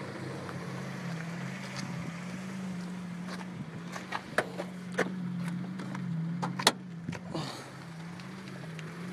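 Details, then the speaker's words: 1990 Prelude after a drive, idle gauge reading 0 and battery light on: low, uneven idle hum that swells and sags with a pumping feel and a few stray clicks. Owner hears the pumping noise near the intake area; cause unknown. "It's that little, it's like a pumping noise. I don't know what it is. It sounds like it's coming from over there in the intake area."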